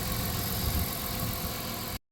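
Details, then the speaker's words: 1997 Dodge Caravan LE idling outdoors after replacing melted coil pack with a junkyard coil pack and donor wire harness, warming up after a week down: steady even low rumble, no misses or knocks. Normal idle. "sounds healthy again thank you junkier coil pack thank you donor wire harness all right I to let that warm up out here"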